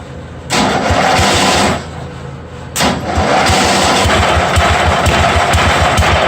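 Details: 1982 John Deere 108 mower built into a mud mower, different carburetor installed and float bowl cleaned, first start. Starter cranks, then the single cylinder catches and settles into a quick, steady putter with no misfires.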